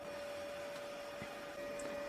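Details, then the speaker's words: Xbox 360 disc drive before repair: tray won't eject, power light flashes with a hum on eject press. Disc spins with a thin, steady high whine but never loads or reads. Hardened grease gumming the tray gears. "chúng tôi nhấn chữ cái để bắt đầu đọc đĩa , bạn có thể nghe thấy tiếng đĩa quay trong bảng điều khiển nhưng đó là lúc đĩa kết thúc và quá trình tải không diễn ra"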